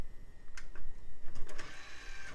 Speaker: CD drive works great good old Tac must be those HP specifications that work